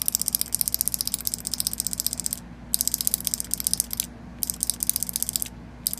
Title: new 2014 proto maxxed rail. solenoid misfiring ???? help please